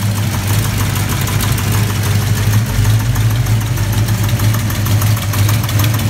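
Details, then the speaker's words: V8 fired up after the timing was rechecked, following earlier bad popping. Rough idle with a quick, even light tapping in time with the engine; the owner suspected a lifter, a loose rocker arm, or a rocker arm hitting the valve cover. "once i got it fired up i heard i hear some tapping on is either a lifter hitting the valve cover or lifter loose or i mean a rocker arm loose or a rocker arm hitting the valve cover or a bad lifter or something going on"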